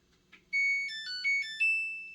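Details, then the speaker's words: New Samsung washer and dryer powering on: a faint click, then a short bright tune of rising beeps over about two seconds, with clicking noises (owner suspects relays) during the start-up sound; normal power-on chime. "again i don't know if the microphone picks it up but you can hear i could hear some clicking noises as the you know startup sound goes off"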